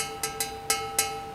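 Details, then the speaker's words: Benelli twin-cylinder custom bobber silencer knocked by hand: four sharp knocks ringing with clear lingering tones; silencer is a bare hollow pipe with no baffles or glass wool, giving a hollow exhaust sound at higher rpm. "After inspecting it closely, I found out that the construction of the silencer is simply a hollow pipe. There are no partitions or baffles inside, or glass wool. So, it produces a somewhat hollow sound at higher RPMs."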